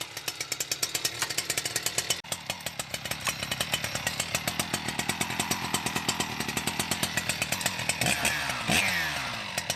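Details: New Husqvarna 61 chainsaw, stock, with oiler pump mod, before dyno runs: crisp, even high-pitched two-stroke buzz with steady rapid firing, briefly blipped. Normal running.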